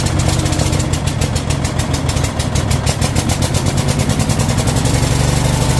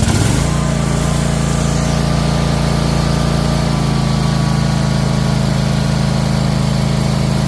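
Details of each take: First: Troy-Bilt Mustang XP zero-turn mower, on choke: small engine catches and settles into a steady, even fast idle with regular firing and no misses or surging; running normally. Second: Troy-Bilt Mustang XP zero-turn mower engine stuck on high throttle after starting: fast steady drone that never drops to a slow idle; high idle, cause being investigated.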